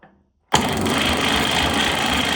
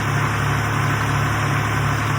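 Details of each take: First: 1962 Fordson Super Dexta diesel tractor, sitting 25 years, primed with the glow plug heated: the starter turns the engine steadily about three times a second but it never catches. One fuel bleed line was left cracked open and sprayed diesel while cranking. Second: 1962 Fordson Super Dexta diesel tractor, revived after 25 years sitting, once the fuel lines were bled and pumped: steady, even low diesel chug at idle with no misses or knocks; it now runs smoothly.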